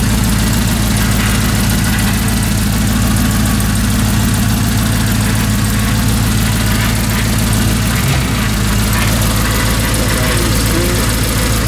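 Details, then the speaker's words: Humvee with an LS V8 swap and Holley system on its first run: a deep, even idle with a steady low rumble and no misses or knocks. An earlier spark issue was fixed by reseating a loose plug wire. Normal healthy idle. "Wow yeah man way way better way way worth it runs great"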